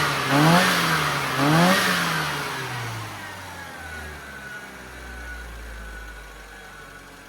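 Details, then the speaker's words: Metro engine after tuning work, including a replaced distributor base, vacuum unit and new plug leads: two clean throttle blips that rise and fall without hesitation, then an even idle. It now runs smoothly with good power. "this one's ready for a test drive right John the owner's been out in his car and what do you think John the magic of AC do totally different car Power smoothness fantastic excellent"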